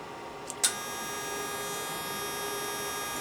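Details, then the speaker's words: Varmint XL-110 mobile tube amplifier with new RCA 6KV6 tubes and freshly replaced electrolytic caps, fired up on the bench into a dummy load: switch click, then a faint steady high-pitched supply whine, quieter than usual, no buzz or crackle; normal. "I like one thing, the whine is not very loud in this one. That's good."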